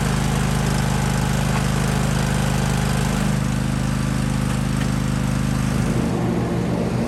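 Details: Kohler single-cylinder lawn tractor engine (John Deere/Husqvarna/Craftsman) that had been surging, run after replacing the fuel filter: a steady, even beat with no hunting or surging in revs; it now runs smoothly.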